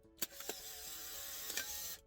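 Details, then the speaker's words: Polaroid SX-70 camera after repair, film cartridge loaded: couple of light clicks then even high-pitched eject motor whir about 1.5 seconds as dark slide comes out; ejection working normally. "dark side comes out just like last time"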